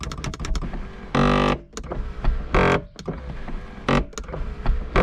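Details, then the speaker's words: Dodge Neon SRT4 sunroof: short bursts of harsh grinding with clicks as the switch is pressed, and the roof does not move. The motor's internal gear is typically the cause, suspected, and the fix is replacing the motor assembly. "so typically what goes bad in these is uh if you're hearing that grinding it's typically usually the gear that's in there"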